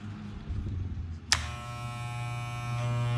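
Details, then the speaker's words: Wahl shaver after installing new blades to replace chipped ones and tightening the blade screws; after a click it settles into a steady, even low buzz with no rattle, cutting line much better, running normally. "Sounds good. Line is much better."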